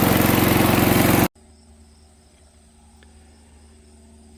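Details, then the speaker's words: MTD 5 hp chipper/shredder, guessed 1990s-built, running after a carburetor kit: steady, even single-cylinder buzz for about a second, then a clean cutoff; working well though not overly aggressive; normal running. "um working pretty good it's not overly aggressive five horse i mean it's not gonna change the world here"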